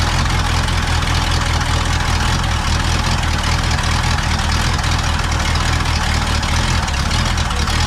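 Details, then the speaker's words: Pontiac V8 just fitted with a rebuilt Holley 600 vacuum-secondary carb with a new float valve, first run after filling the bowl: low, uneven, lumpy idle. Running rough from a high float level. "running like crap. That's why. Sometimes those floats just stick. They're new and dry."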